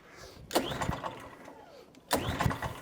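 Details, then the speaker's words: Atco Balmoral 20sk mower left with E10 fuel in tank and carb, started on choke: two short firing bursts that die away at once; fired first pull then stalled, stale E10 fuel problem. "What I'm going to do is, because it fired first pull but then turned itself off, no problems."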